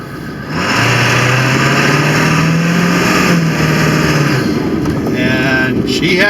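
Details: 2000 Ford F-350 7.3 Power Stroke diesel after IPR valve replacement, not yet at operating temperature, at full throttle on the road: pitch climbs smoothly with no bogging or stumbling; strong, healthy acceleration.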